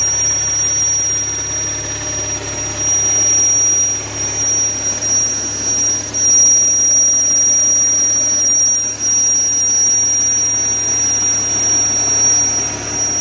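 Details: 2013 Audi S4 B8.5 with ported supercharger: steady piercing high whistle/squeal over smooth idle, started after blower porting; possible vacuum leak, unconfirmed.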